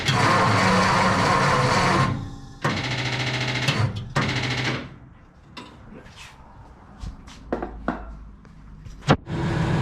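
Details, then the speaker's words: 1954 Mercury engine cranked after an oil pump rebuild; three short bursts of harsh, even cranking with no firing and it never catches: engine seized from oil pump failure. "The engine has seized up, so here is a good chance for us to actually put a Coyote in that bitch."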